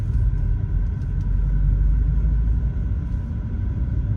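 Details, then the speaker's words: BMW 428i (F32) N20, warm engine, driving at low rpm after upgraded timing chain tensioner fitted to fix chain slack: low, even rumble with none of the former light chain taps, the timing chain now quiet. "Cuz I definitely feel that the car or hear that the car is quieter."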